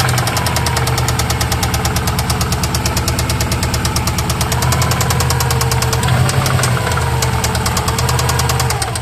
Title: Subaru Rod Knock or Piston slap?